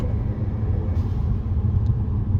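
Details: Tuned K04 Audi A4 2.0T under load after Eldor coils and NGK BKR8EIX one-step-colder plugs gapped 0.025 in fitted for multi-cylinder misfire above 30–40% load: smooth, even low rumble, no stumbles or popping, misfire fixed.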